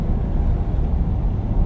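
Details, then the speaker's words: 2015 Ford F-150 3.5 EcoBoost on test drive at about 60 mph under hard throttle after throttle body replacement, air filter and relearn (codes P1124, P2112); steady even drone, pulls strongly with no limp mode: healthy engine under load. "All right, we're out on our test drive. Got our scanner pulled up and this thing seems to be running much much better. It has power like it never had before."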